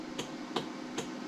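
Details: 2007 Club Car DS gas golf cart, key on, four-way hazards on while checking lights before diagnosing a bad battery: crisp, evenly spaced clicks about every 0.4 seconds, steady and regular; normal hazard flasher operation.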